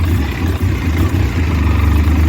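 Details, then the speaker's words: 2003 Polaris Sportsman 600 Twin ATV, sat outside over 2.5 years, started after boost charge: low uneven idle that hunts and stumbles; rough running from dirty carburetor, runs better on choke. "started right the hell up guys I rode it around the block you can hear it the carb's a little dirty"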